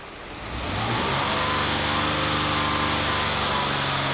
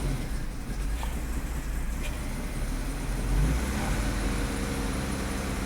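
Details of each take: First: 2005 Mazda 6 3.0L V6 with lean codes P2195/P2197, restarted after clearing codes: idle wavers and dips unevenly, stumbling when short-term fuel trim ramps to 25% then drops; lean stumble at idle, later traced to a cracked cylinder head. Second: 2005 Mazda 6 3.0L V6, codes cleared, five gallons of fuel added to dilute alcohol left in the tank: fairly even idle with a couple of light revs, no stumbling or misfire; normal idle, owner thinks a purge valve problem is possible.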